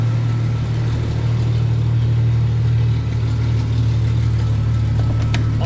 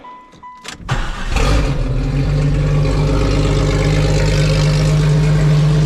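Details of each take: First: 1995 right-hand-drive Jeep Cherokee XJ with a replacement used engine, started for a walk-around: a deep, steady idle rumble with faint uneven puffing; it runs, but an exhaust leak is still present. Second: 1995 right-hand-drive Jeep Cherokee with an untested used XJ engine, after throttle body swap, restored fuel pressure and timing adjustment: cranks, catches within a second, settles into steady even idle; runs properly.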